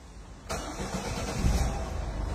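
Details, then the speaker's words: Citroën C4 Picasso 1.5 HDi 130 hp diesel, with black smoke and turbo whistle complaints and its particulate filter and AdBlue deleted: a short crank, then it fires at once into an even idle. A normal start. "راهي تنوض نورمال"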